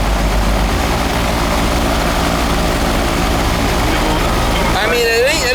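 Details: Old R22 AC outdoor unit, superheat 31 then 25–27, suction 66: steady even low hum from fan and compressor, no knocks or rattles; running normally, charge fine.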